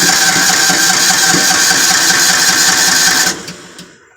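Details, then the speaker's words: Kawasaki MULE 550 at about 686 hours, with a crank-no-start complaint after running the day before: the engine runs rough and fast on choke, then stalls within a second once the choke is taken off. "Alright, so it stalls when you unchoke it. Let's see if it starts back up again."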